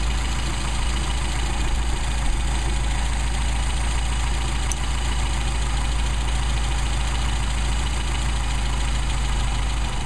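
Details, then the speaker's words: Mercedes 190SL with Solex carburetors, mixture screw on first barrel turned in while tuning: deep, heavy idle lopes and falters, nearly stalling; stumble from misadjusted mixture, backed out about quarter to half turn to midpoint. "stumbled you can hear that stumble if i go any further it'll shut it down almost almost just died"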